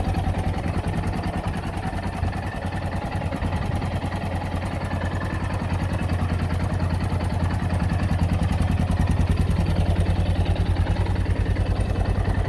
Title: Yamaha xt660z tenere engine knocking sound